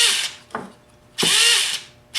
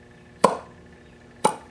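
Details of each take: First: Rebuilt T-Maxx .15 nitro engine with a replaced starter motor, start attempt: the starter whirs in high-pitched bursts that spin up and drop out without turning the engine. The one-way bearing is slipping, and cleaning it is planned. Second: Rebuilt T-Maxx .15 nitro engine with a new block and cleaned crank, reassembled in the truck and turned over. Two crisp, firm pops about a second apart: normal compression on turnover.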